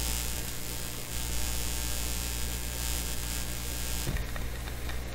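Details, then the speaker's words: Sony PS-T22 direct drive turntable through recording sound system, ground (fifth) wire not yet connected: steady low mains hum with buzzy edge, no music; hum from missing ground wire. "okay turning up the volume here bit of a hum yeah i did not put the ground wire on here yet i left that fifth wire off so we'll just ignore the buzz"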